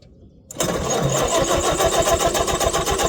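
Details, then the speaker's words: 1947 Allis Chalmers WC tractor that started but wouldn't stay running; after checking fuel and adjusting the idle mixture screw it catches at once and settles into a steady, even beat of about four firings a second, in neutral: clean, healthy start. "Alright, as you guys can tell, we got it started, so I'm gonna now drive this old girl into that shed over there."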